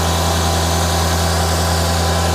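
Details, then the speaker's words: 2005 Mercedes-Benz C55 AMG M113 V8, first start after valve stem seal replacement for smoking exhaust and cooked plugs, fuel line primed: steady smooth idle with no ticks, knocks or whines; spilled oil burning off. "nice and smooth no noises just going to let it run for a few minutes and burn off all the oil around it"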